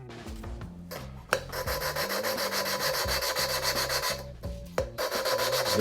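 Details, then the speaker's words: Chevy 350 Vortec 062 head, valves lapped at home with hand lapping tool, compound and a little oil: rhythmic back-and-forth gritty rasping with brief pauses as compound goes from coarse to fine. "I want you to hear the sound it makes as you go from coarse to fine you'll hear it"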